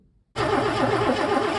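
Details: Mercedes W123 coupe, long-abandoned, cranking right after fitting a different fuel distributor; fast even starter churn about six pulses a second, turns over but never fires; distributor seal was broken and lost, fuel pooled, owner suspects a rebuild kit is needed.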